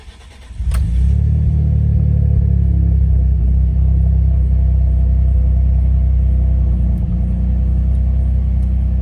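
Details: 2011 Ford F-150 3.5L EcoBoost V6 start after installing a Master Lube pre-oiler kit to cure its cold-start rattle: oil pressure built first, then the engine fires at once and settles into a smooth, steady idle with no start-up rattle.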